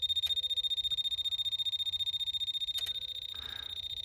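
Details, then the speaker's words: 1998 Bobcat 763 F series hour meter: crisp, regular ticking about four per second once ground is applied with a tester. The meter works but is not getting correct power. "so see click so the hour meter is working it is working it's just not getting correct it's not getting the correct power to it"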